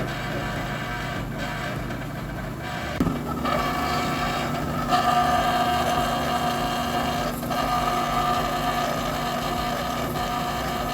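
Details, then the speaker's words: Dexter laundromat dryer: steady motor hum with harsh metallic rubbing and whining; worn motor bearings grinding metal on metal, drum barely turning and needing a hand start, motor to be removed for repair. "can you hear that so that's motor bearings rubbing metal on metal and the drum would barely turn"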